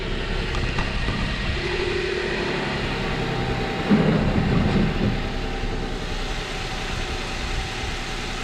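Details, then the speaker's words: 2006 Chrysler 300 with a suspected blown head gasket, after a new coil pack: uneven idle with an irregular stumble about every third of a second. It is still misfiring, though not smoking; cause unconfirmed. "maybe i i just want to see if it stopped missing at this point but it still sounds like crap oh it still sounds like it's missing"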